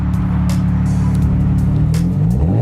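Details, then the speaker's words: BMW 335xi six-cylinder after muffler delete (resonators kept), exhaust tips extended past bumper: deep, smooth burble climbing cleanly with throttle blips, tame even tone, no drone or rattle; muffler delete exhaust note. "That's very Euro. Yeah, it's kind of tame, huh? Yeah, I like it though."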